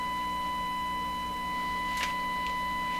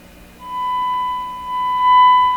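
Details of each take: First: Stewart Warner R514 tube radio tested with a single-frequency signal injected at a tube grid, about 600 ohms impedance: steady tone comes through harsh and buzzy with faint ticks, distorted, seemingly from too much signal; cause suspected. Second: Stewart Warner R514 tube radio powered on after finding an open resistor, battery replaced by a clip lead: clean steady whistle near one kilohertz over a quiet hum, no distortion; normal audio output.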